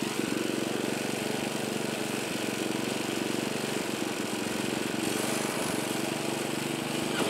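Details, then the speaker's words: California Trimmer mower, single-cylinder engine, after the carburetor was fine-tuned to stop surging, mowing grass under load; steady, even drone holding speed with no rise-and-fall surging; running well. "But it's running really good now. Here's a little bit of mowing with it, even though the grass is all"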